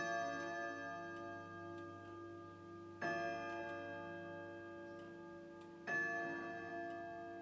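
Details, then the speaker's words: Grandfather clock striking 12 o'clock: slow, clean bell strikes about every three seconds, each ringing out and dying away evenly. The clock strikes the hour normally. "Come a bit closer so you can hear it ticking, because you see it's almost 12 o'clock. And then you must listen for a whirring sound, and then you've got to listen to the chiming and the striking."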